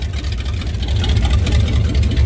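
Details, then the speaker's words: Pontiac 389 V8 after repeated adjustment of a rod to cure a fast idle: low, steady, fairly loud burble with an even beat, no surging or racing, no longer idling near 3,000 rpm; idle settled correctly. "It's not idling at no 3,000 RPMs, is it? No, 3. Whoa, that's kind of loud."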